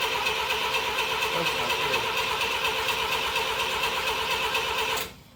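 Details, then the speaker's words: 1979 Mazda SA RX7 being started: steady high-pitched starter whir with faint rhythmic chugging, seems to have compression but never catches; cranks but will not start, carburetor to be cleaned with brake cleaner next. "so starter spins obviously cranks over sounds like it does have compression it kind of chugged a little bit um but it's not starting"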